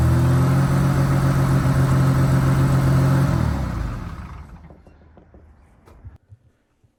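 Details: Rover SD1 2600R straight-six, prop shaft reattached after clutch and gearbox work: smooth, steady engine drone with an even beat that winds down cleanly at shutdown; sounds healthy.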